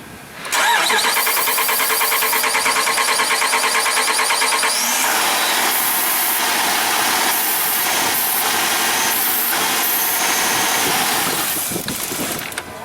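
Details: 2012 Jeep Grand Cherokee Overland with the Hemi, an intermittent no-start. It is cranked after a shot of brake clean into the intake: steady even cranking for about twelve seconds, never firing. Spark and compression judged good, pointing to a fuel delivery problem.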